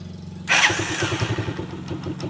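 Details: Rusi Macho 150 motorcycle after tune-up and oil change, battery 12.6 V, one-click start: catches instantly and settles into even single-cylinder idle without misses; former noise, ticking and stalling gone, starts clean and runs fine.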